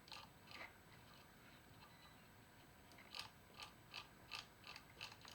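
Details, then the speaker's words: Datsun 280Z distributor after cleaning and greasing the contact: light, sharp ticks at an uneven two or three per second against a quiet hiss, the normal contact clicking, much better than before. "seems to be the way it's supposed to be you know it certainly sounds a lot better"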